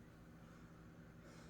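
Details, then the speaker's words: Saltwater reef aquarium after a water change, equipment plugged back in: faint, steady low hum from the auto top-off pump, which always runs a little however full the tank is. Normal. "That little humming is the auto top off. No matter how full, it always seems to run a little bit, which is fine."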